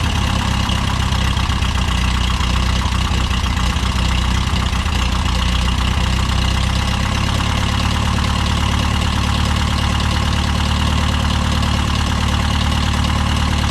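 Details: Case VAC tractor just started in the garage after a new aftermarket water pump was fitted for overheating after a coolant change; still cold, choke out, coolant seen flowing. Steady, even low rumble, no knocks or misses; idles smoothly and healthy.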